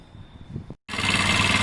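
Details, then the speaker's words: Honda SH125 scooter idling cold on choke, loud and busy, with a light variator roller rattle judged normal and not an issue; new belt and rollers planned. "i can hear the rollers in here uh jake has actually got a new belt and roller skating spike which i'll put on for warren probably more in the summer but that's the rattle you can hear that rollers that's not an issue at all"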